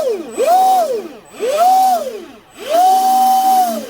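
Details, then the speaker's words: Proboat Recoil 2 RC boat, Leopard 3660 3180kv motor, Dynamite 120 ESC on 4S, after greasing the flex cable in the Teflon liner. Three throttle bursts give a clean, steady whine with no rattle; the noise from the liner spinning is gone. "So I got it greased up. Okay, let's listen to it here. All right, nice, much better."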